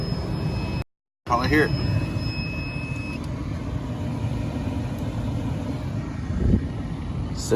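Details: 2005 Dodge Grand Caravan A/C-heater blower after fan resistor replacement; steady even rush of air with low hum, no ticking, rubbing or squeal; blower motor running smoothly and healthy, fix successful.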